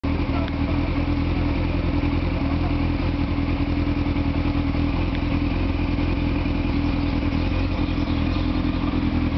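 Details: Motorcycle after carburetor cleaning: steady, even engine beat at a fast idle with no misses, knocks or hunting; running cleanly.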